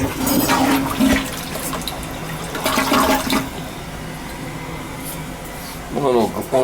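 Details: Newly installed replacement toilet after a badly blocked old one: strong rushing swirl drains cleanly, then tank refills with steady trickle; flush works properly.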